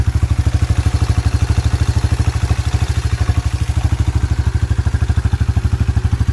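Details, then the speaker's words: 1987 Yamaha Moto 4 YFM350ER single-cylinder ATV, new carburetor and fuel valve, ice-cold start with no choke: deep, steady even thump at idle, no misses or rattles, good exhaust growl; normal cold idle. "icy cold [Music] exhaust growl back there sounds really good"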